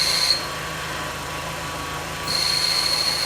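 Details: Audi S3 8L sat nine years in barn, first run after timing belt job: steady high-pitched squeal over running engine, dropping away briefly then returning; clutch release bearing squeal, likely rust from sitting, clutch engages fine.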